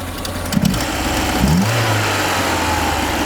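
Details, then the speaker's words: Peugeot 205 CTI after the idle was raised, still slightly misfiring: a short throttle blip lifts the revs briefly, then they drop straight back to idle. The owner suspects the throttle-switch unit on the throttle body is misadjusted. "moteur dont il monte dans les tours et il redescend juste derrière je crois que c'est dû aux boîtier en boîte et qui au bout du papillon le contacte pour lui dire que il est au ralenti"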